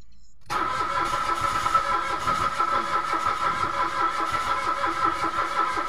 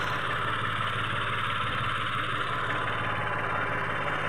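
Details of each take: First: Mitsubishi Mirage automatic: even starter cranking drones on for ten seconds and never catches. No fuel was coming out of the pump despite a new spark plug; the no-start was traced to bad relays. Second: Mitsubishi Mirage automatic that was cranking but not starting, now finally running after the spark plugs were replaced: a steady, even low idle rumble with no knocks, misses or surging.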